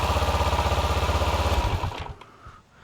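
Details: 2012 Kawasaki Ninja 650 with a meter on the starter lug showing voltage while cranking: steady rhythmic cranking at about four pulses a second, even and strong until it stops; normal starter cranking.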